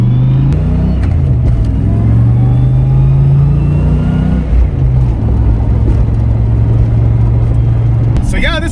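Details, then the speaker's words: Ford Fox-body Mustang, stock-block 302 turbo (about 13.5 psi, 471 wheel hp) with stock T5 manual, driven cold on the first 2026 shakedown: deep exhaust rumble with a thin whine rising with road speed; T5 transmission gear whine. "You can hear the whine of the T5. that T5's already whining like, please just take me home."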